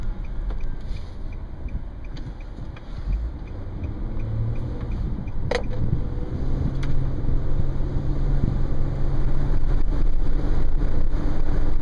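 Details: 2010 Nissan Murano LE driving at about 25–30 mph, recorded looking up at the open sunroof: low rushing wind roar and buffeting over road rumble, building steadily; noisy sunroof wind noise even at low speed.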